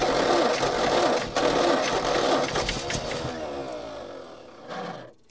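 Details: Old petrol Bedford tip truck (owner guesses early 60s–mid 70s), sat 10+ years, cranking with an extra earth clamped to the starter braid. No quicker: sluggish, laboured cranking about four turns a second, slowing and stopping without catching. Owner suspects a lazy, probably Lucas, starter or bad earth connections.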